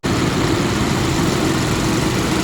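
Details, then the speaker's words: Skoda Superb petrol idling with an uneven, lumpy stumble from a misfire (codes P0303 cylinder 3, P0352/P0353 ignition coil circuits); worse with AC on. "Start [प्रशंसा] करो इस तरीके से लड़धड़ रही है"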